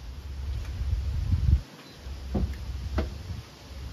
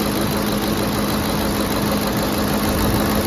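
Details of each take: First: Ford F-150 5.4L Triton 3V V8 just started after VCT/VVT solenoid replacement: cranks, catches and settles into a steady even idle with a light tick, typical of these engines; no leaks or vibrations, sounds healthy. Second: Ford F-150 5.4L Triton 3V V8 at first start after replacing the VCT/VVT solenoid: smooth idle with a faint, quick light valvetrain ticking, no leaks or vibrations; owner says they all tick, cause not pinned down.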